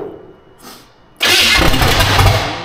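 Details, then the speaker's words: Austin's Buick V8 after distributor timing set and bad plug wires replaced, cranked on a starter box; short quiet spell, then starter bites and the engine fires with a sudden rough roar; cranking and firing, spark confirmed. "definitely have spark. All right, turn your ignition off. A distributor definitely solves our problems. Sounded better too."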